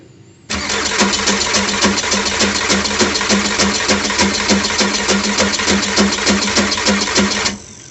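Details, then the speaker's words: Audi A6 1.9 TDI diesel after injection pump repair and refit, timing marks just readjusted, first start attempt: starter churns about three turns a second for seven seconds, engine never catches, very weak fuel delivery from lines; crank no start. "Неудачно. Так, из трубок очень слабенькая подача."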